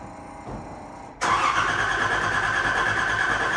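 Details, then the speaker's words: Nissan 300ZX Z31 after new fuel pump, tank work, new battery and clutch master/slave cylinder replacement: starter cranks steadily about three strokes a second but engine never starts; cause still to be investigated. "all right see tell it cranked but it did not start we'll have to do some investigating"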